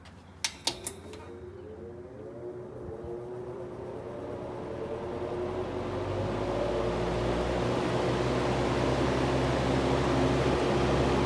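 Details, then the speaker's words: 1958–1959 Lasko-made Senak 20-inch four-wing box fan in original box, needs oiling; motor spins up with switch clicks into smooth, even whir, quiet with no buzzing; normal running. "quiet no buzzing the westinghouse motor on the other one buzzes a lot"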